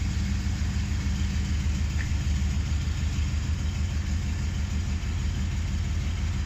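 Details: 2008 Hummer H2 SUT: a low, steady engine rumble carries a repeating heavy clunk, about three beats a second; the cause is unidentified.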